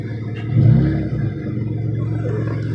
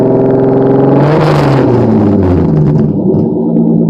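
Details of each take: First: Car with a homemade exhaust pieced together without a welder, using JB Weld: a throttle blip gives a raspy, uneven, flat rumble, as the leaking joints spoil the note. Rough exhaust note from the leaking homemade exhaust. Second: Acura Legend, mechanically properly tuned, revved for a few seconds: crisp, clean revs climb smoothly and drop back to a steady idle three times, with no knocks or rattles. Healthy engine revving.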